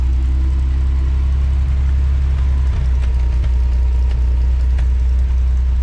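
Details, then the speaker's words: 1979 Ford F100 300 straight six, parked since 1992, rebuilt with Holley 390 carb, Offenhauser intake, headers, dual exhaust, driven about 50 miles: deep, even idle rumble, no knocks or ticks; running great, idle needs slight adjustment. "I've now driven it about 50 miles. Still have to adjust the idle a little bit. But besides that, it's running great."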